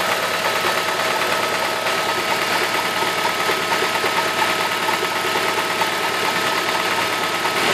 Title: E46 318 engine knocking